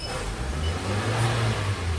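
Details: Toyota Avanza engine after new cylinder liners were fitted, piston knock gone: revs up smoothly and evenly with a steady low drone, no stumble, miss or knock; normal healthy revving.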